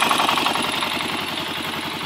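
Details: Honda 400EX ATV at idle: fast, even ticking rides over the idle and keeps pace with engine speed; owner questions a strange noise, cause not yet clear; abnormal engine noise.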